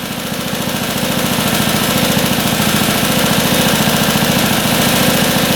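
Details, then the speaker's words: Long-unrun motorcycle bought sight unseen at auction, revived; carb idle screw set 1/2 turn out: steady popping idle about 3.5 beats a second, slowly firming up, no knocking; normal healthy idle. "No knocking in the engine. Sounds really good."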